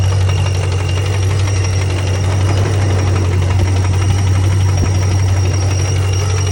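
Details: 2006 Pontiac GTO LS2 6.0 supercharged at idle: a sudden dull, regular knock about three per second; rockers and pulleys were checked, it runs perfectly with no codes, and the owner wonders whether it is a rod or lifter.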